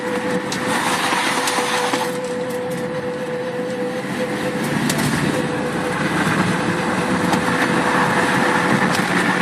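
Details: Steady mid-pitched hum over tyre and road roar with rough rhythmic rubbing underneath, loud at slow or fast speeds, stopping when the brakes are applied then returning; caliper already changed; unidentified noise while driving.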